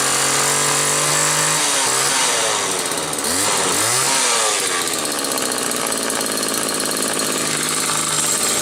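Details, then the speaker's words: Homelite XL-2 chainsaw, test run a day after repair finished: two-stroke buzz at idle, revs up cleanly and holds a steady high wail with no stumbling. Normal, healthy running. "Just finished these up yesterday, so let's do a couple quick test runs."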